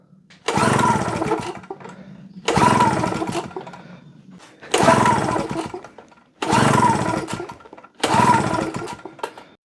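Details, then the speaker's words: JCB two-stroke generator that hadn't run for a couple of years, with the throttle operated by hand. Five pull-start attempts about two seconds apart; it spins over but never fires: hard starting. "don't sound like it's really wanting to try does it"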